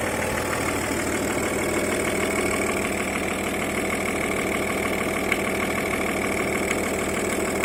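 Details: Audi A6 C5 2.5 TDI (AFB) diesel at idle: light, fairly regular tapping over the clatter, intermittent at idle but always present at higher revs per owner; knock of unknown cause.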